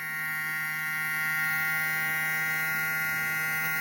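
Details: Cooler motor converted into a 12 V-to-220 V AC generator, lighting an LED load (7 W and 0.55 W LEDs tested). A steady, even electrical hum with constant pitch and no knocks or rattles: normal running under load.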